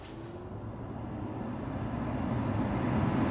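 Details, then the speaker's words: Lexus CT 200h cabin AC blower fan after repair with superglue and bent-back parts, engine idling: fan spins up smoothly and steadily, no rumble or grinding; grumble completely gone. "sounds Bella turning off no grumble completely gone"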